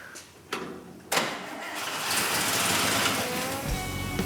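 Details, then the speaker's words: Petrol engine started after fixing a vacuum leak and filling radiator and fuel: catches quickly and settles into an even, steady hands-off idle, sounding tight, with music over it. "Sure enough, man, it sounds tight. Really good. The whole problem was that vacuum leak. You can hear how it's like hands off, it idles totally good."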